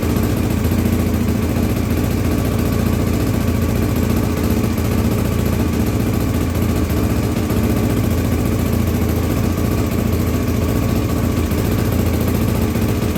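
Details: 1983 Honda XL600R first start after top-end rebuild (1mm overbore, Wiseco 11:1 piston, Megacycle stage one cam, heavy-duty springs, rebuilt carbs): steady even single-cylinder thump at idle, no knocks, ticks or stumbles; normal idle.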